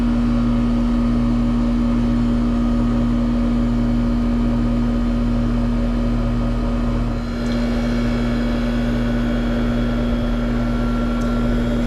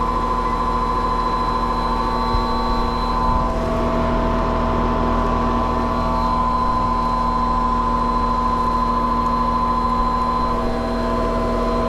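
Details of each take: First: Trane condenser fan motor, newly replaced, running: a steady, smooth low hum holding one pitch with no rubbing, ticking or wobble. The condenser fan runs normally. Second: Trane condenser fan motor running: steady hum with a fixed whining tone over the fan's rush, unchanging; the condenser fan motor itself is noisy and failing, replaced afterward.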